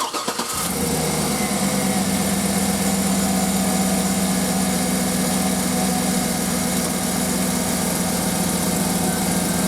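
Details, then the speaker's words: 2008 Cadillac Escalade 6.2 V8 after replacing a faulty purge valve that caused intermittent crank-no-start: quick crank, instant catch, then steady even idle with no hunting. "There we go, fired up like normal. My idle's back steady again because it's not getting all that extra gas from that purge valve."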